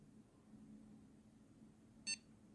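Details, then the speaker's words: Homemade motion controller for fixed-wing FPV drones, unlocked: one short high beep in a quiet room as the tilt dot leaves the command zone into the buffer zone, a preliminary warning the controller is tilted too far. "That single beep there is just letting you know that you've reached the edge of the command zone and that you're tilting the controller too far."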